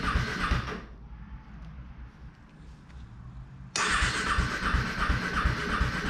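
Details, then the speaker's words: KTM RC 390/Duke 390 after a coolant flush, started with the radiator cap off. Starter whirs in short bursts and fails to catch, then finally fires. Battery had been removed and the bike washed; the fuel controller module was left ungrounded. "okay so as you guys just saw me struggling to get this bike started"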